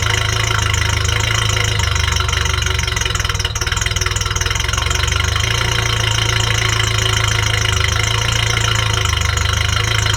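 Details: Ferrari 308 after restoration, idling with a sensor disconnected (no change): steady, slightly lumpy idle with even low beat, no knock; running too rich, mixture adjustment planned once warm.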